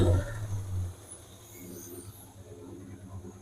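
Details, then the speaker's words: 1977 El Camino after 10 years sitting, coolant overflowing, suspected water pump problem and thermostat or dash gauge not working; low steady hum, louder then quieter, no knocking, engine itself sounds pretty good. "Definitely sounding pretty good though. Other than our little bit of our heating issue here, I don't think that thermostat's working very good or at least the gauge on the dash."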